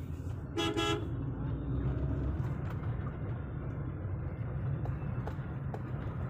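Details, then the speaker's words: 2006 Hyundai Santro at 60 km/h test drive after suspension bushes replaced (old ones were worn, causing noise): soft steady road rumble and a brief horn toot, no clunks or knocks; suspension quiet. "तो guys मैं अभी हम लोग चल रहा है 60 की speed से कोई आवाज नहीं आ रही है गाड़ी में"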